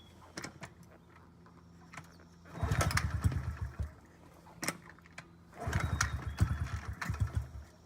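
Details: 2009 Honda CRF50F pit bike, not started in 2 years, kickstarted with choke up: repeated kicks bring short sputtering bursts that die away each time; hard starting because the choke was left on too long.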